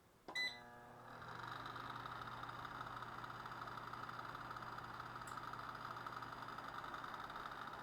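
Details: Electric fireplace fan after repair: once reassembled and cleaned, with its brass end bearing greased with heavy automotive grease, it spins up after a beep to a smooth, steady hum with no squeal or rattle. The bearing now runs quietly.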